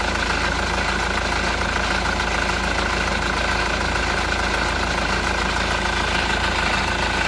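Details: Honda Accord CN1 2.2 CTDi diesel at idle: steady idle with a loose, uneven clatter on top, about two beats a second; noisy engine, source unclear.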